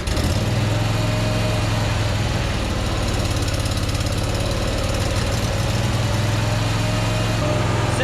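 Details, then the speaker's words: Craftsman ZTS 7500 50-inch zero-turn mower, V-twin-sounding engine restarted on choke. Low, even, thumping idle holds steady without stumbles or surging; healthy idle, though running voltage check afterward shows it is not charging. "Sounds kind of like a V-twin. Why do they have so much trouble idling sometimes?"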